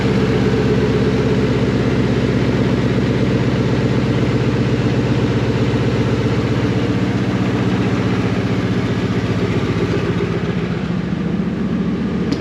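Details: Ford F250 with 5.4 Triton V8 turbo build and GT45 turbo, first start with custom up pipe and exhaust manifolds, exhaust straight out of the turbo: deep, steady idle with even rapid pulse and raw open-exhaust rumble; smooth, no misfire or knock, quieter than expected.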